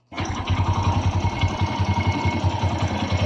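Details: Kawasaki Bajaj CT100 single after replacing a loose timing chain: settles into a steady idle around 160 beats a minute with no chain rattle or slap; normal idle.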